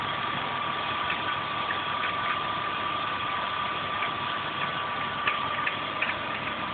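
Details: BMW E36 320i with unidentified engine noises at idle: a steady high-pitched tone with faint irregular ticks over the hum. Abnormal engine noise, cause undetermined.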